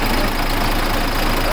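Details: Freshly overhauled diesel engine, started on the second try and running for break-in with a filter not yet fitted: steady low clatter at an even idle, no misses or loud knocks. Normal diesel idle.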